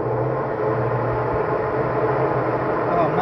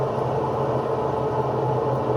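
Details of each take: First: Electrolux washing machine after tightening the loose agitator that caused loud spin noise: steady, even low hum through the spin with no knocking, rattling or scraping; normal spin cycle after repair. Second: Electrolux top-load washer, empty drum on spin: steady, rough droning rumble that sounds like a worn bearing but is caused only by a loose agitator; fixed by tightening it with a dedicated agitator wrench.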